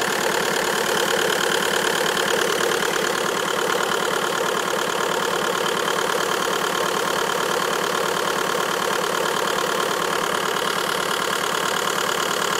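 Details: Even idle with quick regular tapping about three beats per second over the engine; abnormal engine noise at idle, cause unclear.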